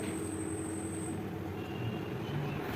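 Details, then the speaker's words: Household ceiling fan after a damaged blade was found and removed as the cause of a bad noise: a steady, even whir with a faint constant hum and no knocking, rubbing or rattling; now running smoothly. "भाई बिल्कुल smooth sound हो गया है कुछ भी यहां पे sound नहीं आ रहा है"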